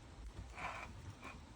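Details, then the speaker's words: Three-cylinder engine being rebuilt, crank turned slowly by hand with smooth bores: soft, even, firm breathy puffs on each compression stroke. Compression sounds healthy; the rings will still be replaced. "Oh yeah, that sounds nice. That sounds nice. Come back this way. Oh, compression stroke."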